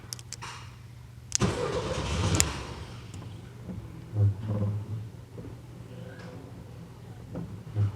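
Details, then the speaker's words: 1979 VW Super Beetle convertible, fuel-injected, off the road 8 years with fire damage, on foul old gas: ragged one-to-two-second burst, sputters and stalls; owner suspects weak fuel pump pressure, and the distributor lacks vacuum advance. "wipers I can't believe it's running on this gas it smells like straight up horrible so that fuel pump might not be putting enough pressure"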